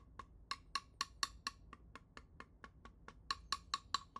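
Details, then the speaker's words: Coin tap test on laminated bonded honeycomb: sharp, evenly spaced taps about four a second; solid ringing taps mean undamaged material, duller thumps suggest internal damage, delamination or water ingress. "Undamaged material produce a solid ring sound while damaged areas will create more of a thump."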